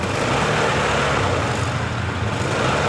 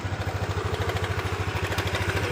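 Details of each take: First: Honda Beat LED Deluxe fuel-injected scooter, DTC code 7 history: engine runs unevenly, stumbling beat and wandering pitch as throttle is blipped; rough sputtering running, intermittent, cause not yet found, EOT sensor or injector suspected. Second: Honda Beat LED Deluxe scooter with a code 7 history, after the loose or dirty EOT sensor socket was cleaned and reconnected: steady single-cylinder idle with light mechanical chatter and nothing irregular. Normal idle.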